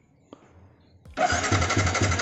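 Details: Motorcycle with clogged fuel injector that stalls when revved: near silence with a couple of faint pops, then the engine finally catches at a fast, slightly uneven idle; hard starting.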